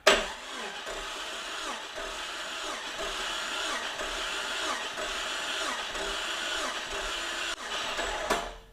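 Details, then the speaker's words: 2000 Jeep Cherokee XJ, engine older than the Jeep, cranked via switch wired straight to the starter during compression test on cylinder 1 (150 psi); even steady cranking about two pulses a second, no dragging or clunks, healthy. "So the way I've got this rigged up now is this wire goes to the positive side of the starter, this wire goes to ground. So when I turn this switch, it's going to crank over the engine."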